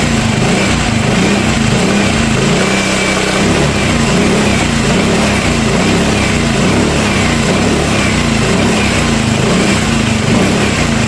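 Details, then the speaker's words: Yamaha Mio M3 scooter after replacing the camshaft bearing: even, quick idle at steady pitch, no rattle or knock; the earlier rough engine noise is gone. "Nah jadi ee untuk suaranya sudah udah hilang ya nah ini untuk motornya udah sembuh ya untuk suaranya udah hilang"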